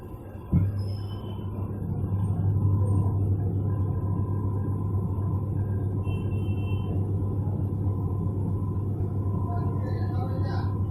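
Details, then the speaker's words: Whirlpool Stainwash Ultra 6.5 kg washing machine on spin program after gearbox replacement with new 6205 and 6006 bearings and oil seal; noise during spin now gone, steady quiet drum hum without grinding; normal spin after repair. "Problem solve हो चुका है इसका, अब इसमें आवाज़ नहीं आएगा। पहले आवाज़ आ रहा था स्पिनिंग के टाइम, अभी आवाज़ नहीं आएगा।"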